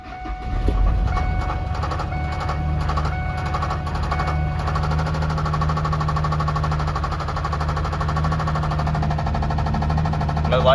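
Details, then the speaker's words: 2003 Ford F-150 4.2 V6 that fires right up; fast, regular tapping knock over the idle keeping pace with the engine, owner suspects a connecting rod has let go (rod knock). "It'll fire right up though. Don't you guys hear it? It's um hating life though. I think one of the connecting rods is already let go."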